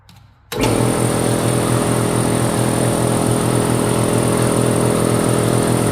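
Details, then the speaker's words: Newly mounted replacement pump on cleaned-out air compressor: kicks on and settles into steady, even pumping beat about three and a half strokes a second, smooth and quiet; builds pressure, gauge suspected broken. "buddy sounds like it's making pressure"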